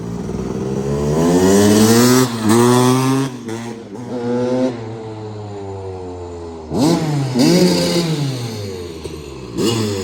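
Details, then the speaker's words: 2001 Kawasaki KX250 two-stroke, needle clip raised one position to slot two to lean the mixture, then pilot mixture adjusted; restart gives sharp blips climbing and falling in uneven bursts, revs but mixture still uncertain. "so I played around with the uh with the pilot mixture a little bit and I think I might have it improved I'm gonna try to see if I can start it up and give it one more test"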